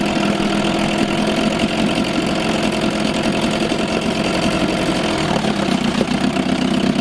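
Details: 1987 Johnson 4hp twin two-stroke outboard in a water barrel, recently overhauled with new choke/fuel shutoff and idle valve, on old rich-mix fuel: crisp even buzz with a steady beat and no misses or knocks; normal running.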